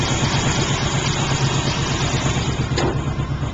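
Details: 1978 Pontiac Trans Am, 350 V8 with blower, aftermarket exhaust: low, steady burbling idle with even beat, no tapping or knocking; no known knocks or leaks, runs and drives great; normal idle.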